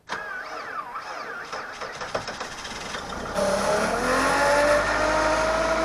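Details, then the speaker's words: 2004 PT Cruiser with 150,000 miles and a weak battery, cold start at -17°F (-27°C), not plugged in, first start of the day: slow labored cranking for about three seconds, then uneven wavering running that smooths out; rough cold start in extreme cold. "well I got it that doesn't sound too healthy wasn't plugged in or anything but it is going sounds like it's all going to smooth out in a minute here yep sounds nice now"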